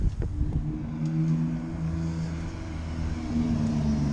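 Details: BMW E36 328is after fix: even, steady engine note lifting smoothly with throttle, no knocks or misses; healthy, fixed.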